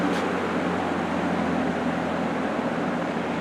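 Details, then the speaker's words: Restored old box fan running on low speed: even, smooth rushing air with no ticks or rubbing. The motor sounds healthy and quiet, with the same airflow and noise in either direction. "And surprisingly, unlike a lot of box fans from this era and just in general, this thing moves just about the same amount of air and makes just about the same amount of noise regardless of which direction you have it in."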